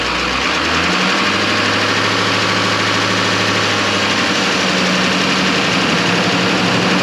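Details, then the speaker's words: 2007 Chevrolet Silverado 3500 6.6L diesel restarted after installing Banks Power parts: fires promptly and settles into an even idle with ordinary diesel clatter, no misses or odd knocks; normal start and idle. "I like it sounds good it looks good"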